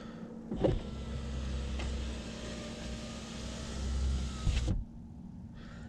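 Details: Saab 9-5 power window after silicone spray lubrication: smooth, even motor hum about four seconds, steady pitch, no binding or squeal, clean stop; window runs freely.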